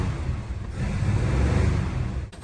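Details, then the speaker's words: 1949 Studebaker Champion flathead six on nasty old fuel with a squirt of fresh fuel down the carb, one cylinder totally dead: an uneven, lumpy rumble with constant throttle feathering, like a broken lawn mower. "Note the constant throttle feathering. You like how it basically sounds like a broken lawn mower."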